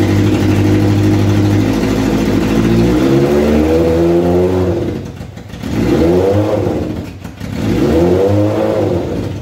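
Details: Kawasaki ZZR 1100 engine swapped into a Fiat Panda 750 Fire, during engine tests: three strong rev sweeps that climb smoothly and drop back cleanly. Running healthy.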